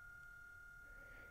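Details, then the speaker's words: Small circulation fan for a mushroom fruiting chamber, on a speed controller turned too low, gives a thin, high-pitched electrical buzz near stalling; turn the speed up or it may stall and burn out. "...that's a good indicator that you need to turn the speed up a little bit, it might actually stall and then you might burn out your fan."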